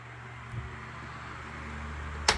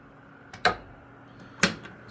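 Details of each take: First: Lasko 3150A 12-inch three-speed oscillating table fan, circa 1980-81, running on high. Steady soft whir over a low even hum with no rattle, ticking or wobble; powerful but not overly loud: normal fan running. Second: Lasko 3150A 12-inch oscillating table fan, circa 1980-81, oscillating at low speed. Sharp, isolated knocks about a second apart over a faint hum as the head swings: oscillation knock from fiber washers worn by heavy use.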